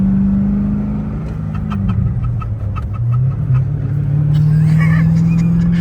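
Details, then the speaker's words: Squeaking while driving a wrecked Z06 Corvette being rebuilt, with burning rubber, plastic and sulfur smells: low engine drone varying with speed and quick chirpy squeaks several times a second, like a chicken coop; source unclear. "This thing is making so many noises. [laughter] >> It sounds like a chicken coupe, bro."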